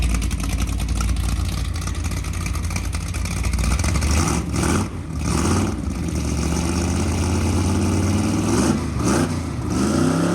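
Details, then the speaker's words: 1963 Ford Galaxie 500's freshly built dual-carb 390 Ford V8 bored to 397 (about 500 hp, compression likely over 10:1) on the run stand, carbs not yet adjusted: deep, even rumble swelling smoothly on each blip and settling back; running fine, healthy. "Be aware that at this time the engine's working fine, sounds like a monster ready to be let loose."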